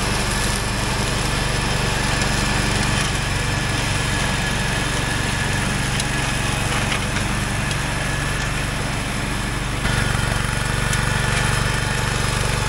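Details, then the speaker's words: Wheel Horse 416 garden tractor, free and sitting for years, revived: steady single-cylinder drone holding even while mowing with the deck spinning, no misses or knocks; runs and rides perfectly. "boy it would be awful hard to ask for anything better than that for free runs rides most perfectly"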